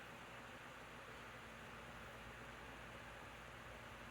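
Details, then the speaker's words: 2019 Lasko model 2018 12-inch table fan on medium; soft, even airy whoosh with faint low hum, no rattle, ticking or wobble; runs quiet and healthy. "Actually, it has a fast low on it, but what I like is that it's actually really quiet."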